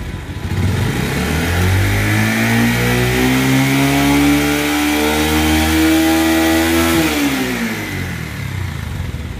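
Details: Bajaj Pulsar 150 BS4 after repair of an engine rattling noise, with balancer pinion work: single cylinder revs up cleanly and drops back with an even tone, no chatter or rattle.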